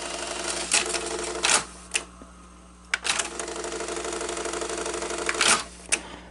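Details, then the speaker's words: Sanyo Beta VCR (Betacord) rewinding a tape: busy mechanical whirring broken by sharp clatters about every second; abnormal rewind noise, owner suspects the tires and plans to inspect them, cause unconfirmed. "i need to take a look at the tires too because that just sounds weird like why is it making that noise maybe that's normal but it doesn't doesn't sound normal"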